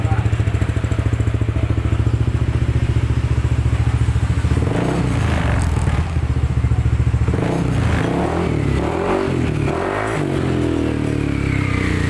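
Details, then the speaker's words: Yamaha N-Max scooter after repairing the stripped roller-housing (variator) shaft thread without splitting the engine, nut now tight: steady even running, no rough CVT rattle, a few handling thumps mid-clip; roughness fixed. "Oke, ini mesin sudah hidup, dan sekarang bunyinya tidak kasar lagi dari CPT nya karena baut rumah rollernya itu sudah kencang."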